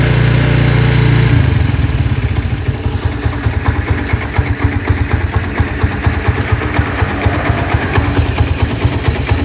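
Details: Honda Tiger single that smokes when cold and lacks power, cold lumpy idle after washing: uneven rough clicking clatter at the cylinder head. It resembles a scratched or slapping piston; the cause is loose rocker arms.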